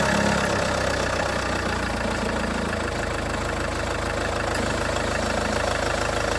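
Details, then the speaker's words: Range Rover Evoque idling after the owner replaced the auxiliary belt tensioner/pulley: smooth, steady idle with an even beat and no rattle or knock; sounds better after the repair, normal idle. "That sounds better, doesn't it? God for that."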